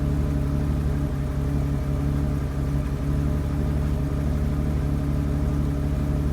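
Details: BMW 750 E32 M70 with a low, lumpy, wavering rough idle despite new spark plugs, distributors, caps and one MAF; the plugs were wet and sooty, the owner suspects it runs rich, and the cause is unconfirmed.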